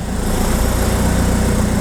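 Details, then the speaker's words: Diesel idle with the catalyst and exhaust removed because the exhaust flex pipe broke. Rough, loud idle with a steady pulsing beat and raw exhaust roar; turbo noise is prominent, which is normal with the exhaust off. "Donc vous entendez le bruit du turbo et tout ça. C'est normal parce qu'il n'y a plus le catalyseur, il n'y a plus rien, on a tout enlevé parce que la tresse d'échappement a cassé."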